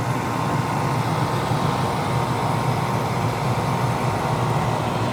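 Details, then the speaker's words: Danby Idylus 12,000 BTU portable air conditioner, first run of the year in April: even unbroken fan whoosh over a low steady compressor hum, no rattles or clicks. Normal running. "i'm about to start it up for the first time so let's go ahead and turn it on compressor started up instantly"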